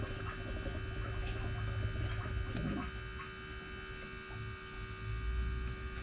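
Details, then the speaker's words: John Deere 410K backhoe at 1000-hour service, ignition on to prime fuel: steady low electric hum of the priming pump with faint gurgles as fuel bubbles back into the tank; normal priming. "all right so now you can tell it just got fuel you can hear bubbles in the tank"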